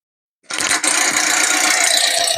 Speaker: Can you hear that noise? That click, click, click sound. That is a tensioner below the alternator. It'll move back and forth.